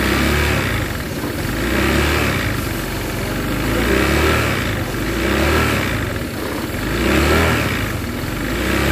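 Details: New 2023 Honda Vario 160 scooter with a coarse, uneven engine note that swells and fades about every two seconds; the engine runs rough, cause not found.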